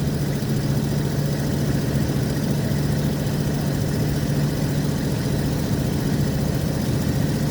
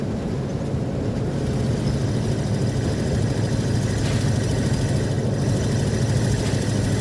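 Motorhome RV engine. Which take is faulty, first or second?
first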